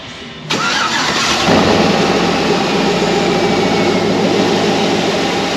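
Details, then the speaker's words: 2010 Chevy Tahoe 5.3L V8 after installing high-flow intake with baffle removed, first start before warm-up; quick crank, catches at once, smooth even fast idle, no misses or knocks; normal cold start. "So far, so good. I'm gonna let this thing warm up some."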